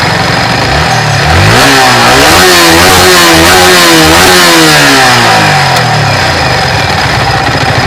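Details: Yamaha R15 motorcycle after tappet adjustment to cure an engine noise: it revs up in several clean sweeps and falls back to a steady idle, with a smooth note and no top-end tapping. Normal running after the repair.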